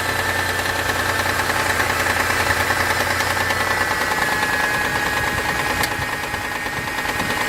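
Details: Mitsubishi 6G72 engine, cold start: fast, fairly regular light ticking knock, about three per second, over the idle hum; lasts 1–2 minutes then disappears. Owner suspects hydraulic lifters, not confirmed.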